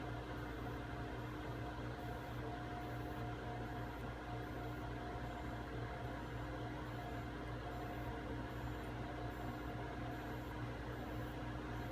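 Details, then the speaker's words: Zeni 5-in-1 cavitation radio frequency weight loss machine, cavitation probe running in circular motions: steady even low buzz with fixed hum, heard as buzzing in the head, which is normal and shows it is working. "again you you'll hear a buzzing in your head that's normal you know it's working"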